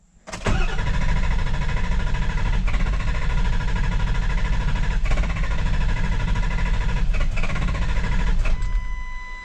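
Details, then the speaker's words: Ford 7.3 Powerstroke diesel with hot no-start, after IPR valve replacement: steady cranking about 200 strokes a minute for eight seconds without catching; cam sensor suspected faulty, to be retested warm. "okay so cam sensor must have been doing weird things i guess we'll have to take it get it warmed up to see what it sounds like see what it doe"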